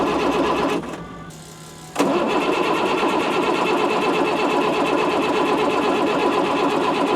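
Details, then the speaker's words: Ford F650 service truck with Caterpillar C7 diesel, bought as inoperable, after fixing a loose ground: steady rhythmic cranking about three beats a second without firing; no-start blamed on failed grid heater, later started with starting spray. "Got it. It's alive. >> Yeah, grid heater is bad. Super common on a C7."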